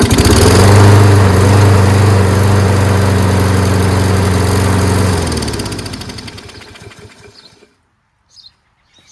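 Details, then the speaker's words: Toro 22" Recycler mower, Kohler XT675 engine, blade brake pad cleaned: strong, even drone about four beats a second, then coasts down and stops on its own; carb may still leak slightly. "as you see now it does stop on its own because we've cleaned that brake pad on the brake kill mechanism"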